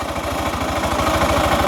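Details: 12-year-old Yamaha fuel-injected scooter (2nd-gen Cygnus X) at idle: quick, even pulsing knock about a dozen beats per second; abnormal mechanical noise, seemingly from the rear, unclear whether drivetrain or engine.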